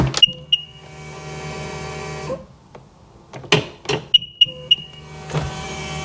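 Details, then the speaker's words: 2002 Sea-Doo RXDI after engine reinstall: a couple of chirps then labored, sluggish starter whir stalling twice; slow cranking, battery suspected dead, loose battery ground also possible. "that sounds like that battery's toast"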